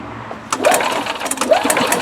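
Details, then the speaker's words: 2003 Yamaha G22 gasoline golf cart: starter spins the engine with uneven churning bursts but it never catches or speeds up; crank no start caused by a failed fuel pump. "just won't fire up. It does start and turn over."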